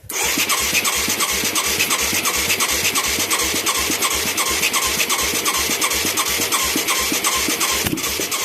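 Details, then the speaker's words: Mid-1980s Yamaha YFM200 Moto 4 with new carburetor and plug; steady cranking chug about three beats a second, then a sharp pop blowing fire back through the carb; owner suspects a valve problem, not confirmed. "Oh, that blew fire out. Yeah, that's usually a valve that does that."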